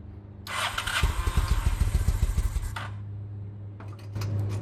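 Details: 2000 Honda Shadow ACE 750 V-twin running on old gas as new fuel reaches the carbs: uneven, stumbling pulses about three per second fading into a weak, faltering idle; barely running, a fuel issue, not spark.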